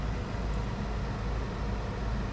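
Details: 2008 Chevrolet Cobalt four-cylinder at about 179,558 miles, idling after the misfiring ignition coil was replaced and the check engine light cleared: soft, even low hum with no stumbles or skipped beats; idling smoothly and cleanly.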